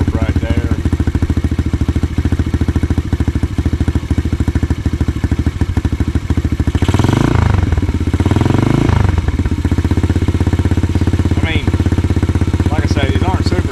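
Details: Coolster 125cc dirt bike that ran only with choke on, after intake leak repair, warming up: crisp steady single-cylinder putter, picks up cleanly on a throttle blip and settles evenly; normal idle.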